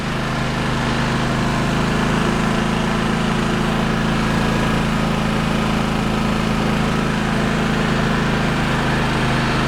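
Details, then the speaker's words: Firman WH03242 3200W inverter generator, less than a year old, restarted on choke after cleaning a heavily blocked spark arrestor and exhaust, before load testing: settles into a smooth, even idle with a steady low hum, no knocks, misses or surging; running normally. "Okay, so fuel on, choke, start. These things take a little bit usually to kind of wake up."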